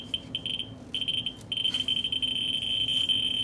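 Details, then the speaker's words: Ludlum 14C with a Ludlum 44-3 gamma scintillator held close to a Westclox Big Ben clock's radium-painted dial in fast mode: a shrill, near-continuous high buzz with brief dropouts, the clicks merged at a very high count rate. "let's look at the fast mode and it moves up and it's bouncing on twenty thousand to three thousand counts"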